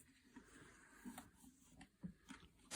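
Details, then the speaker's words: Hozelock garden hose reel rewind mechanism, spring-loaded peg riding raceway lever slots as hose unwinds: faint sparse light clicks then one sharper snap; normal ratchet clicking. "you will hear it clicking like that like so so when you've pulled enough hose out i'll keep going around clicking a bit"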